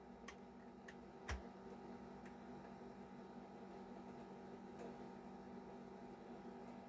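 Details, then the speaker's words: Nintendo Famicom Disk System writing a third Zelda save file to the disk's B side, with duct tape over the write-protect notch: quiet steady motor whir with light clicks and no grinding or stalling, so the drive writes normally. "all right let's see moment of truth oh it's moving it's doing its thing"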